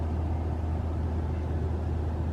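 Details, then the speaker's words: 2021 RAV4 Prime SE in EV mode while plugged in charging, 41°F cold night, auto climate with AC off: smooth steady low hum of the heat pump compressor, no loud noise; normal heat pump hum. "you can hear humming of the uh the um the heat pump or the compressor right but um it didn't make the loud noise"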